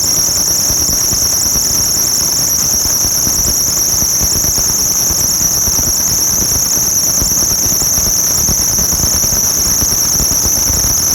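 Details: 1996–2002 Toyota 4Runner on startup: a loud, steady high-pitched squeal over a quiet engine; the owner suspects the alternator belt slipping, unconfirmed.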